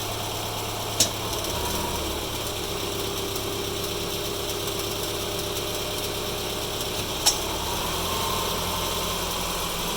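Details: Subaru Forester 2.5 XT automatic idling: sharp single clunks as the selector moves park to reverse and back; suspected bad CV axle, unconfirmed.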